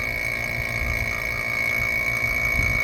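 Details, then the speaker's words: Vacuum pump on a 2nd-gen Toyota 4Runner's rebuilt air conditioning after loose fittings were tightened: a steady motor drone with a thin high whine and no surging. Vacuum holds better but still drops slowly; more fittings found loose. "Now it's holding even more vacuum. Let's try it. It's still going down slowly."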